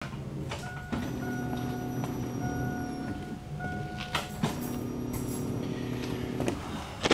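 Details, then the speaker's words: 2000 Chevy Blazer with a newly installed fuel pump and refitted fuel tank, key on before adding fuel: a steady mid-pitched hum and faint high whine for a few seconds; normal fuel pump priming. "I can hear it I'm going to lower it down put some gas in it and try to start it"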